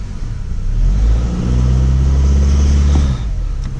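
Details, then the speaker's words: 2008/2009 Acura TSX 2.4 four-cylinder, after replacing cylinder 2 ignition coil for P0302 misfire, skipping and sputtering: revs smoothly and settles to steady even idle, sounds like new. "right let's crank it up and see how she runs that sounds like a brand new one"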